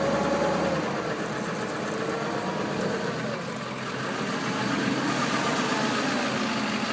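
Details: 1999 Ford 7.3 Powerstroke diesel after hard cold start with failed glow plug relay (relay jumped): uneven surging idle loping about three times a second.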